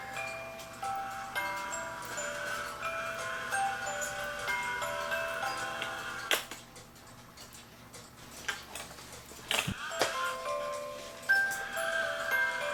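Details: E. Schmeckenbecher Nuremberg church clock after repair with 3D-printed replacement parts: an even tinkling tune over regular ticking with no dragging or skipping as the figure goes around; it runs properly.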